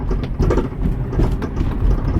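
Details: 2000 Toyota Sienna, high mileage, loud knocking noise from the back while driving: low, uneven thumps and rattles from the rear as the van rolls slowly over bumps; rear suspension knock.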